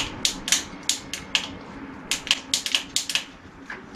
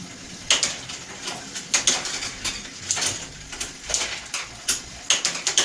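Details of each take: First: Bicycle Shimano shift/brake combination lever, defective: quick dry clicks in irregular bursts with no chain movement; the shifter ratchets freely without engaging a gear, the shifting has failed. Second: Bicycle with new replacement shift/brake combination lever fitted: crisp, evenly spaced clicks as the lever indexes through the gears, each shift landing cleanly; normal shifter ratchet operation.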